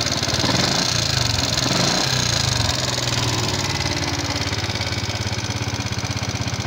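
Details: Fuel-injected Yamaha Jupiter MX King at idle: a rough kletek-kletek valve-clatter tick from the head; customer also reports the radiator warning light always red. The mechanic is analysing before teardown; cause not confirmed.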